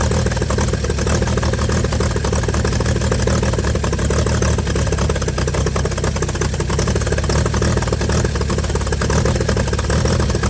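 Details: 1955 Chevy inline six truck revived after sitting about 30 years, solenoid from another vehicle, carburetor filled and leaking, just started: steady even low rumble, no misses, knocks or hunting; smooth regular normal idle.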